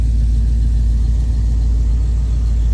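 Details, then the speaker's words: 1978 Ford motorhome with 460 V8, Holley carburetor and headers, sitting five years, fuel fed from a can bypassing the old tank; cold start, then idle screw turned up; deep, even rumble at steady idle, no misses, knocks or smoke; normal idle. "Need to turn the idle screw up on this. >> Okay. Right there. Listen to that damn thing. And it didn't smoke none."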